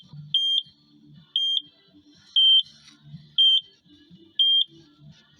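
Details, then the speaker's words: Takeuchi TL12V2 at -30°C, quit while pushing snow; repeated sharp high beep once a second over faint engine: fault code SPN 1239 FMI 1 (high-pressure fuel leak) persists after diesel additive; owner suspects gelled summer diesel. "so stiff and cold in here I'll still throwing code 1239 FMI one I thought I had her there running for red well it's still throwing that same code"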